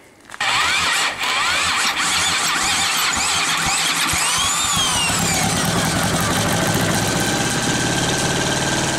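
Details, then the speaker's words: 1938 Caterpillar D13000 pony motor, first start in years after removal from main engine: catches and settles into a fast, steady run with some high squealing early on; running well. "okay folks so we got the uh pony motor running pretty good"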